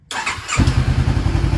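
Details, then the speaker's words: Restored salvage 2013 Honda CBR500R first start after the fuel pump primes: a brief crank, then it fires right up and settles into an even, steady low idle with no misses or knocks. "yes there we go and it sounds so good wow all right i'm gonna kill it did you hear that that was amazing and it fired right up so quickly"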